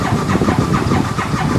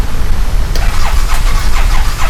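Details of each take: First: 2015 Massimo Militia 1000 UTV with no spark, ECU codes cleared: starter cranks at even rhythm but engine never catches; no-start, crankshaft position sensor suspected. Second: 2015 Massimo Militia 1000 UTV after replacing crankshaft position sensor (right side of motor) to cure no spark: brief cranking, then catches and settles into steady, even idle; starts and runs normally.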